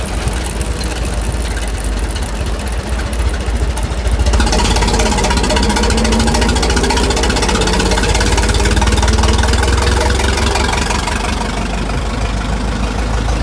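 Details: Restored 1921 American LaFrance fire engine getting under way down the street: a steady, even low four-cylinder beat pulling smoothly, no knocks or misses; fine restoration, healthy normal running.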